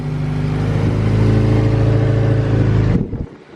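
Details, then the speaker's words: Nissan S15 SR20, idle after repairing a noise that appeared once the oil warmed: steady, even four-cylinder idle with no tapping, rattle or whine; normal idle. "where you go well so far it is silent that's quieter than it was before it cold eh that's the most quiet SR on the planet"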